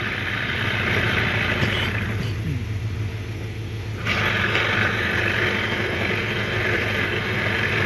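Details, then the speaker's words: 1993 Johnson 15 hp outboard after carburetor cleaning: revs up cleanly, dips briefly and picks back up smoothly with no stumble or miss; healthy throttle response. "hey you see this motor runs really good now i have the car clean"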